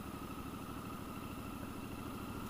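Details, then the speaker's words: Triumph Scrambler 1200 XE, liquid-cooled 1200cc 270-degree parallel twin, in third gear at very low rpm coming down from speed: slow heavy uneven thumping, engine lugging in too high a gear, bucking below about 1000 rpm. "if you're in the wrong gear coming down from speed it will protest and this gives a little bit of protest when you're in low rpm and you're in the wrong gear"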